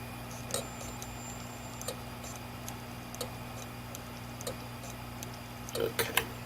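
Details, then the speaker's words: 1TB Western Digital hard drive that suddenly stopped working, powered briefly with microphone close: faint sharp clicks about every second and a half over a low hum after spin-up; clicking on spin-up. "not powered up at all and when he'll power it up again and the drive start making some clicking sounds"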